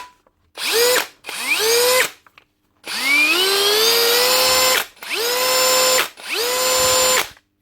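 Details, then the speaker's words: 2017 Hitachi DV18DBXL brushless cordless drill after trigger switch replacement: repeated trigger pulls, whine climbs smoothly to steady top speed without jumps or stutter; variable speed control now perfect. "She's run smoothly up through the speeds as you pull the trigger. Shouldn't be jumping at all."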